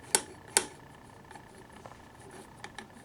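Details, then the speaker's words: Honda Ruckus clamshell drum brake cam arm worked by hand during an engine rebuild: two sharp dry clicks, then faint scraping ticks. The arm lacks anti-seize and will be rebuilt. "We're going to rebuild this arm right here because this should have anti-seize on it, which it doesn't."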